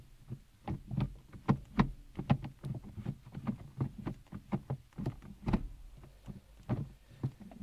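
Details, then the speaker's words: Toyota Carina E XLi 1.6 estate 5-speed manual: repeated light clunks and clicks as the lever moves through the gates, no grinding; ordinary mechanical shift feel, changes gear fine. "5-speed gearbox, which is quite a mechanical sound from it."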